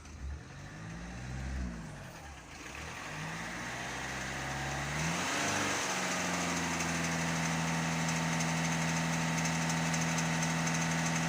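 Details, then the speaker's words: Citroën C3 with an abnormal noise after taking a hit on the road. The engine revs up and settles, with a rapid clacking under the revs; the cause is unclear. Clacking noise when revving. "comment elle claque."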